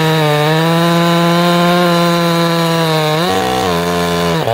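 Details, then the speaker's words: Chainsaw during carburetor tuning, set at 1¼ turns out: high steady two-stroke scream, brief bog under cut then clean recovery; idled a little slow, so the low jet was turned in slightly. "now you guys see what i did there it came back to idle and it was idling a little slow"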